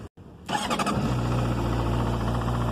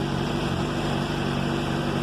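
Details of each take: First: 2007 Honda CBR600RR: fires and settles to a fast idle with a light metallic chatter over it; the shop found the cam chain tensioner caused the strange engine noise. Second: 2007 Honda CBR 600RR, warm at 91° after an oil change: even low-hum idle with no cam chain rattle or ticking. The earlier noise was diagnosed as the cam chain tensor, and the owner expects it may return.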